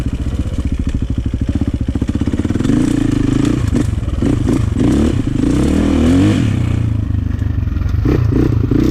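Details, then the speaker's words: 2004 KTM 450 EXC with Keihin carb, sat 6 years, on a woods test ride. Lumpy idle, then a blubbering hesitation on roll-on before picking up, a rich stumble off idle; fuel screw suspected too rich. "Still a little bit of a stumble off the bottom. Don't like that."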